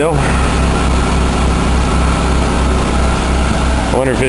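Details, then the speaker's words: Buick Park Avenue after fitting a used replacement muffler held with a clamp and wire: low, steady, even idle rumble with no blowing, rasp or ticking; the exhaust sounds quiet and sealed. "yeah that ain't loud at all nice and quiet pretty smoggy"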